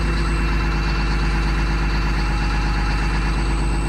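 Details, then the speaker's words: 2004 Blue Bird Vision school bus, 7.2L Caterpillar C7 210 HP diesel, cold started at 23 degrees with jumper cables. A deep, steady rumble with an even low beat and no misses or knocks. Healthy cold idle. "Definitely love the sound of a good cold purring Caterpillar."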